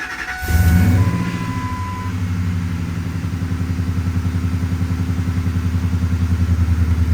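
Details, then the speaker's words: 2002 supercharged Ford F-150 Harley-Davidson, restarted after a new oil pump with worry about the timing chains: catches with a brief flare, then settles to a steady, even low idle with no ticking or knocking; oil pressure good. "Idling back down, starting to anyway. Overlook power steering pump. Sounds good. Oil pressure's up there."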